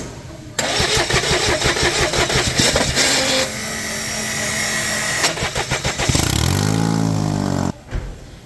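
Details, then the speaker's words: Toyota Passo with long starting and P0335 crank sensor code: uneven chattering crank with a free-spinning whine rising then falling before it catches; starter drive slipping, dropping crank sensor signal and setting the code. "आपने देखा कि जो sir starter है वह slip कर रहा है। Slip करने की वजह से क्या होता है? जो क्रैंक सेंसर है उसके सिग्नल ड्रॉप होते हैं।"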